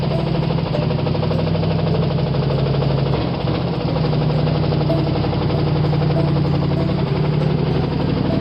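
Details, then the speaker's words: Ford V8 that sat all winter, started with gas squirted down the carburetor: heavy rough idle with a deep hammering knock every revolution and an uneven beat. Rod knock with one cylinder not firing, running on seven cylinders. "well even on seven cylinders she sounds pretty good to me"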